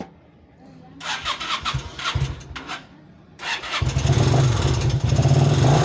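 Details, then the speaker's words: Vento 250 motorcycle brought in with an engine noise: after a few cranking bursts the single catches and runs with a steady low knock, about four a second, under the idle. The mechanic first suspected the timing chain or its tensioner; teardown found a damaged crankshaft/connecting rod. "tiene un sonido aquí en el en el esté en el motor quiero enseñárselos más o menos como es el sonido"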